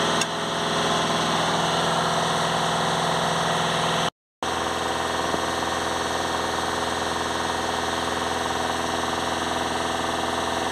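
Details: VW Crafter 2.0 TDI van with code P2463 blocked DPF soot restriction, revs held with accelerator depressor while watching DPF pressure in live data: steady raised speed, even constant drone, no misfire or rattle; sounds healthy.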